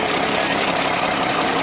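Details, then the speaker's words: Cold start of a fully restored Mercedes Unimog diesel truck on a hot, roughly 103° day: even, solid diesel clatter at a steady idle with no misses or knocks, needing little throttle. Normal idle. "you really ain't got to throttle or much awesome somebody put a lot of money into it dude God that sounds"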